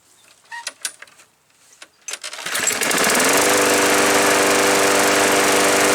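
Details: Craftsman push mower after free auto choke inspection and repair, choke tab left unadjusted, covers refitted: a few handling clatters, then it catches within seconds and settles into a steady, even buzz with no misses or surging; normal running.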